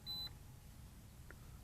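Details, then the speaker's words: Holy Stone HS360D drone remote controller at power-up: one short, clear high beep while it connects to the drone, then quiet room hiss; startup beep. "And it's going to start beeping because they're connecting there."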